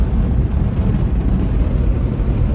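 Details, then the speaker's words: 1972 GMC shop truck after an LS swap (it earlier made an awful noise), cruising around 76 mph on a 103°F high-desert day: a steady deep rumble with no knocks or ticks. Runs normally and quietly. "That runs good. It's quiet. Yeah, no, it runs."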